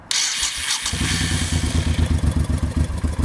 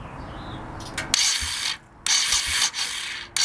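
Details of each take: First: 1989 Honda VT1100C Shadow Spirit V-twin fires after a brief crank and settles into an even, lumpy idle with no knocks or rattles; a mystery sound near the starter on the left crankcase appears at switch-off. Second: 1989 Honda VT1100C Shadow Spirit, cranking with engine stop switch off: harsh ratcheting clatter in second-long bursts from around the starter on the left crankcase, sounding like it goes back on itself; runs fine otherwise, cause unknown, owner wonders if starter.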